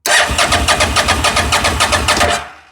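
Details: Fire-damaged CF Moto Z Force 800 with the starter powered at the solenoid: steady cranking at about five turns a second for over two seconds, then it stops without firing. Cranks but won't start; owner suspects a melted ignition-switch wire.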